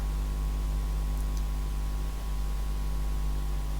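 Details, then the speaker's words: Olympia ESW 100-KSR serial typewriter/terminal at power-up: loud, steady low hum from the power supply, a clue to its type (ferroresonant transformer); 5 V and 9 V rails present but 35 V rail dead, blown supply fuse suspected. "now there is a big clue as to the type of power supply by the way i'm not sure if you can hear it a very loud hum so we'll come back to that later"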